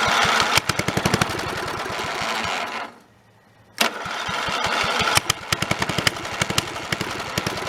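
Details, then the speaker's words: Snapper 30083 single-cylinder engine, abandoned 20–25 years, after fitting a junkyard magnetron ignition unit and a borrowed carburetor: catches and runs, dips briefly near silence, then picks up to a popping, slightly uneven run; running again. "so again that's probably the first time in 20 to 25 years since that thing's run"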